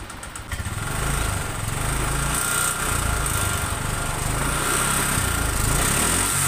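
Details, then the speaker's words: Honda Vario 125 FI scooter: rough, uneven, lumpy running with white smoke from the exhaust and poor radiator circulation. Suspected causes include late oil changes, a dirty throttle body, a compression leak and a worn piston; none is confirmed. "keluar beluk atau asap putih pada ujung knalpot suara kasar pada mesin diiringi dengan keluarnya asap putih mungkin dikiranya dari bagian CVT"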